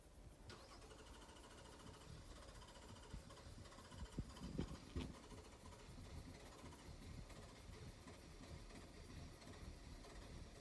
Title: Flooded hard start